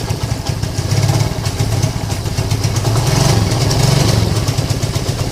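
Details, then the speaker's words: Lagenda 115 FI motorcycle, cold start, that dies when hot from lost spark and weak fuel pump pressure: uneven idle, beats bunching and stumbling about four a second, timing sounds off; rough uneven idle. "oke dia hidup ya tapi Ah semput kurang dengar timing tak cantik seolah-olah motor ni memang bermasalahlah"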